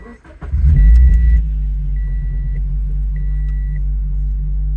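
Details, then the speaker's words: 2013 Scion FR-S after a quick trackside fix of an exhaust leak from a missing O2 sensor: engine fires, flares briefly, then settles to a steady deep idle with a dash chime beeping, no puffing or ticking; exhaust back to normal. "Sounds like it's back to normal. I guess we're driving home."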